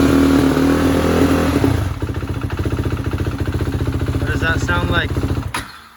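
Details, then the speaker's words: 2016 KTM Duke 390 single keeps stalling while riding on a cold day: idle thumps turn uneven and sag after a throttle blip, then the engine dies and can't hold idle; owner ruled out gas cap air leak; later fixed by a shop. "yo y'all gotta hear this it's even worse now I thought the gas cap was sucking in the air maybe that was why but it's not"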